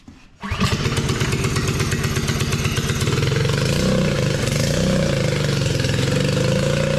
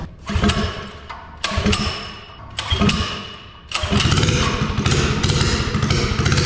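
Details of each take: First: Mini bike with a swapped-in Harbor Freight Predator 212 engine, first start while the side cover leaks: engine catches and screams flat out for seconds without dropping to idle. Throttle stuck open, likely missing its return spring. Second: Mini bike with Harbor Freight Predator 212 engine, bigger jet and new air filter: a few heavy pull-start thumps, then the single cylinder catches and settles into a steady, even run on choke; running normally.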